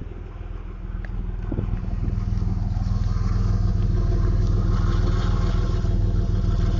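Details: 1992 Camaro RS V6, stock, 147,000 miles, with a dry-rotted hose, a slight exhaust leak and low idle, hard shifting, recorded on a cell phone. A deep idle lopes unevenly around three beats per second as it settles after revving. Rough idle, possibly a vacuum leak.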